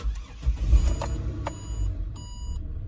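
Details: Ford Territory that cranked but wouldn't start after a collision, now starting after resetting the tripped inertia fuel cut-off switch: brief crank, catches at once, steady low idle; clean normal start.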